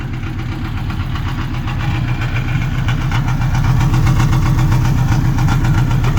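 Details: 1958 Volkswagen Beetle with a swapped Subaru 2.5 naturally aspirated flat-four: even burble at idle that swells smoothly as revs rise, no tapping or stumbling; idles and revs cleanly.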